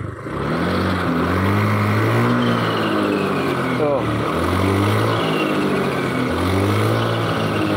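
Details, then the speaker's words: Honda Beat ESP scooter, weak power and smoking fixed, only bearings replaced, engine now cool with no smoke: pulling away with a steady whine rising with road speed over the engine; final drive gears whining. "ini cuma ganti laher terus ini hasil suara mesinnya tapi ini gardannya bunyi nguing"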